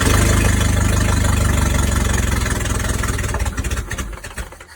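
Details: Abandoned Toyota Tercel SR5 wagon after timing readjustment: loud uneven running, pulses grow ragged and die within five seconds; fuel seemingly not pulling from tank, suspected fuel starvation, not confirmed.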